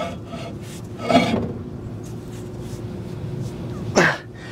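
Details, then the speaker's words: 1960 Chevrolet Impala sitting 32 years, hub turned by hand with brakes backed off: steady gritty rasp from a worn inner ball-type wheel bearing, other side silent; worn wheel bearing. "bearing in there that inner bearing is toast"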